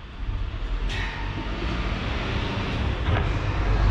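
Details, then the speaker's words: VW T2 campervan with 1.9 TDI conversion, cheap electric oil return pump draining oil, mounted at the back behind the engine: loud, steady low droning hum building slightly, no knocking or stalling; noisy but normal operation. "think i was good enough i think we can accept this pump as actually pretty good cheap but pretty good noisy as a downside"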